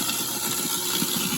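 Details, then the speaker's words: InSinkErator garbage disposal running with water, sound baffle in place: steady high whirring hum with light water rush, no grinding or rattle; normal running. "Here, the water is actually louder than the garbage disposal itself."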